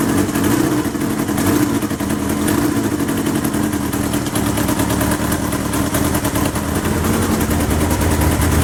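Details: 1977 Kawasaki KZ650/Z650 B1 four-cylinder, air screws 2¼ turns out (manual says 1½), second-hand starter fitted; loud, busy running with a slightly uneven, lumpy beat under the exhaust; carbs still need syncing.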